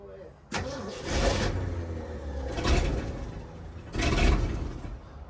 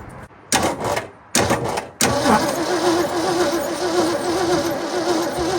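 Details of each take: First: 1967 Ford F100 started after sitting 20 years, after accelerator pump and fuel pump repair: choppy loping idle with throttle blips from a big cam, running pretty good though the carburetor has a bad fuel leak. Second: 1967 Ford F100 abandoned for 20 years, cranked on the key with a fresh battery and the fuel lines unhooked: short bursts, then a long steady crank with no catch. The accelerator pump was later found not moving; the fuel pump was repaired.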